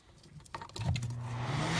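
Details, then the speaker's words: 650-watt plug-in interior car warmer in a Ford Escort winter beater, just switched on. A steady low buzz swells and holds as the fan motor hums without spinning freely, possibly a dry bearing; the owner plans to take it apart and lube the bearings. "Well, I'm going to still take it apart because I don't like that it was just sitting there going hum."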